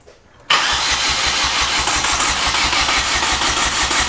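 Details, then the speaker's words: 2008 Chevy Aveo, oil previously found in coil boot holes: starter cranks with a fast steady pulse and never catches; combustion gas enters the cooling system and coolant is probably washing the plugs, pointing to a blown head gasket. "because I want to show when we crank it, we're going to see this water just shoot up. It's just another confirmation for the camera to show you guys that this this absolutely has combustion gas is getting into the cooling system."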